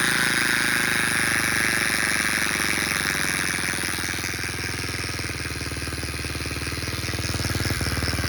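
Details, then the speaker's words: Steady rapid metallic buzz at idle from a Baja Motors DR50 (Honda XR50 copy) engine rebuilt three times, clutch adjusted; noise stops with clutch pulled in; 2nd and 3rd hard to engage; owner suspects bent kickstarter pawl ramp touching gear. "I just rebuilt the motor and I thought I had it all in there, but I still have this annoying buzz coming out of the engine."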